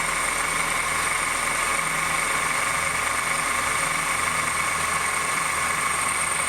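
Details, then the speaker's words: 2008 Honda New Civic, cold engine at low rpm, accessory belt tensioner already replaced twice: a steady high bell-like ringing whine with a metallic hiss, like a bearing, over a quiet idle. The noise persists; worn power steering pump bearing. "tem tem que tomar do que barulho de sino com baixa rotação é frio tipo um barulho de rolamento aquilo compra tá fazendo barulho"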